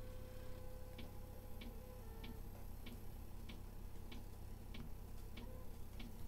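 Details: Diesel air heater newly installed under the bed of an ambulance camper conversion, first start with empty fuel lines: steady crisp ticks roughly every 0.6 seconds over the fan hum. Normal dosing pump priming.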